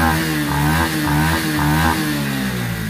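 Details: Honda RSX FI small motorcycle with severe throttle hesitation: three quick throttle blips pick up cleanly without stumbling, heard after the fault was traced to the ignition coil.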